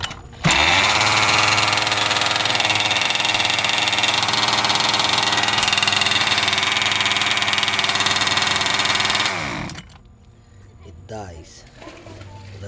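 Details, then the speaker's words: Nitro RC engine with Dynamite safety kill switch that works on first plug-in then dies, needing unplug and replug: screaming high-pitched engine flat out about nine seconds then abruptly cuts to near silence; cause unconfirmed. "lights died also but the problem comes on when I turn all my receiver transmitter the safety goes back but the lice warmed and turned back so I cannot start the engine now"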